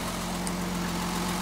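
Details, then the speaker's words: Mercedes 280 SE after fixing a cylinder that was misfiring: even, steady idle with smooth low rumble, no more burbling sound from the tailpipe; engine running clean. "oh I think I can tell the difference already maybe those of you who've worked around these engines can probably hear and see the difference already you can hear it in the exhaust you don't get that verbling sound back there in the tailpipe like we were before"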